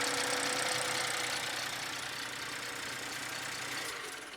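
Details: BMW F31 with the B38 1.5L turbo engine, on cold start: a loud, fast, even metallic rattle of about four per second over idle, then fading, from a stretched timing chain. A faulty camshaft adjuster and failed turbo were also found.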